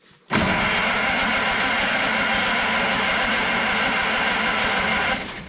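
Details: Engine on the "Rockabilly Rat", previously troubled by shorted points, now has spark to the plug: it catches at once and holds a steady, even roar for about five seconds with no misses or knocks.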